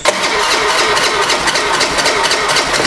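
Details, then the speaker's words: Honda Beat scooter that would not start despite spark, with compression now returning, hand-starter start: catches and runs unevenly with a ragged, stumbling beat, struggling to settle; still hard to start and rough running. "agak susah hidup tapi brebet ini motornya nanti kita coba cek isinya juga"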